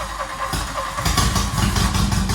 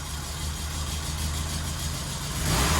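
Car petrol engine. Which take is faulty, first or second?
first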